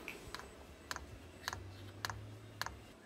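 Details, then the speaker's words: VEVOR kit diesel parking heater with long, unsuitable fuel line: fuel pump ticks dry and evenly about twice a second over low fan hum during a restart attempt; the unprimed line causes start failure with error 10, so priming is needed. "e alla fine ci ha riprovato e ha dato errore 10 va bene la procedura di priming facciamo la procedura di priming"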